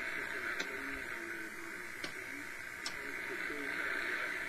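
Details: Realistic DX-200 shortwave receiver, afternoon: constant hiss with faint warbling tones and sharp clicks while lights and appliances are switched off to hunt interference; high noise floor, possibly dry-air static.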